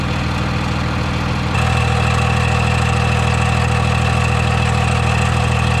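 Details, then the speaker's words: Dodge Cummins diesel truck with worn starter: steady idle, then at about 1.5 seconds a constant whine rises over it, like a starter staying engaged after startup; starter has been clicking and noisy, being replaced. "It's been doing this for a while where it just clicks, clicks, clicks. And yeah, my starter has been making a noise ever since."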